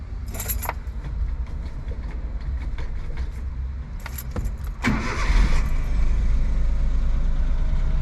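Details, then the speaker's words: Suzuki Jimny cold start after new spark plugs, new parts and Seafoam added: keys rattle, starter spins briefly, engine catches at once and settles into a steady, smooth idle; normal cold start. "Starts right up. Idles nice and smooth. That's a cold start too."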